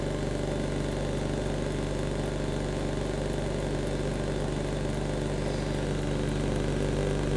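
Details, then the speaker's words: Kalorik AFO 46129BK air fryer oven under repair (lower heaters defective since new), switched from toast to air fry mode; the convection fan spins up with an even low hum, no rubbing or rattle. Normal fan running. "we'll switch to air fry and see what happens fan starts air fry"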